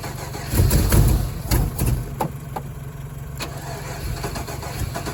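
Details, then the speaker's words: Chevrolet Colorado that has sat buried, cranking with heavy uneven thumps and sharp pops and cracks as it tries to catch but never runs; a big backfire, no start. Fuel pump heard priming afterward; fuel pressure unverified. "That was a hell of a backfire. Alright, I'm gonna give her one more try and then I'm gonna have to figure something else out, I guess."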